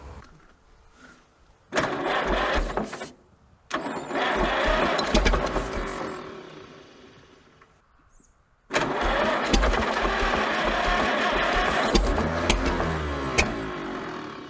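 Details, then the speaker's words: Minneapolis Moline ZAU junkyard tractor, water pump seized, low compression suspected, ignition on: starter drags the engine over slowly in sluggish bursts about two beats a second without firing; bearings fine, owner thinks purely an electrical problem. "It's cranking slower. Yeah, there's smoke on this thing. Bearings are fine, it's just purely an electrical problem, I think."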